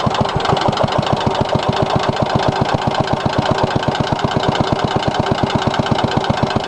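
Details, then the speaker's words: 1963 Cub Cadet, original single-cylinder engine on cold start: sharp, evenly spaced knock about seven times a second. Metal flakes found in the oil; owner says bad head gasket, engine needs rebuild or repower. "what watch there she is knocking in all her glory got a bad head gasket"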